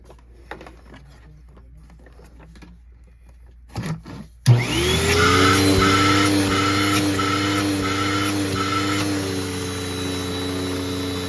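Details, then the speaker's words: Clogged Tempo vacuum switched on before unclogging: the motor spins up to a strained, slightly wavering roar with a faint pulsing whistle, like air choked by a blockage in the hose; suction is reduced but not gone, and the bag holds little dirt. "So this vacuum, I was filming earlier today and it has a clog, so let me turn it on to demonstrate."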